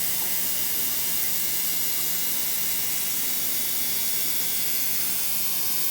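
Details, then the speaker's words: Digital ultrasonic cleaner cleaning a carburetor, set for 60 minutes with heat on: steady high hiss and fizzing buzz, no low rumble, even throughout; normal operation. "so I'll turn that on and then time let's do I typically do 45 minutes let's give this one full 60. um you can hear it buzzing"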